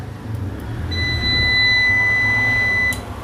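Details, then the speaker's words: Circle brand 600VA single-battery UPS under repair, powered from mains since battery likely discharged after sitting days: steady high beep near 2 kHz for two seconds over low mains hum; normal UPS power-on beep. "देखेंगे तो जैसे कि दोस्तों आप देख पा रहे हो यहां पे ऑन हो चुका है अभी बैटरी से डायरेक्टली ऑन नहीं हो रहा है क्योंकि इसका जो बैटरी बैठ गया है शायद"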